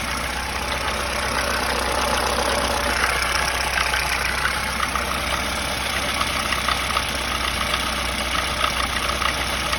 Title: СТУЧИТ ДВИГАТЕЛЬ ВАЗ 2107